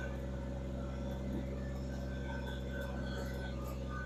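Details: Kubota BX2360 diesel tractor, running after both fuel filters were replaced and the lines bled; it had earlier lost power in sub-zero cold. Steady, even idle hum at constant pitch with no misses or stumbles. Normal idle.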